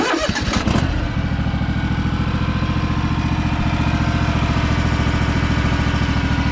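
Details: Craftsman DLT3000 lawn tractor with a factory Honda 16.5 hp single engine, test run after the repair (oil checked, water purged from the fuel): it cranks and catches within a second, then holds a steady, even putter with no misses or knocks.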